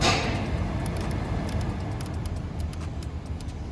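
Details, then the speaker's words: VW Golf 5/Mk5 (GTI/Jetta) cabin after replacing the V159 HVAC flap positioning servomotor, engine running with the temperature set to 22°C. A steady low hum is heard and the earlier plastic rattling under the dashboard is gone; the repair is confirmed working. "let's see if the v159 motor has stopped making that noise of plastic rattling when we set the temperature at 22° C"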